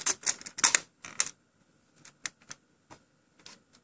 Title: PS3 drive makes a really loud rattling noise